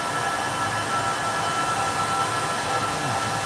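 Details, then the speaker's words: Rack servers with power supply 0 offline on each: steady dense fan roar with a thin high whine, the fans running flat out and louder because one power supply is down. "And usually they start humming a lot louder if one of the power supplies is down. That's why you hear all that noise. It's saying, I'm having a problem."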